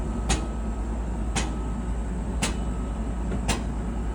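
A sharp knock roughly once a second, steady with each drum turn over the running hum; a rotating drum part is knocking. Cause suspected, not confirmed.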